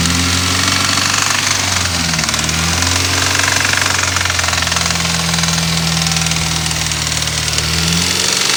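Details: 2013 BMW F30 320i N20, 52k miles, warm engine, in park, revving to 2-3k rpm, no check-engine light: a metallic rattle rising and falling with revs, loudest near the end. Also occurs at 20-30 mph off throttle; mechanics suggested lifters, unconfirmed.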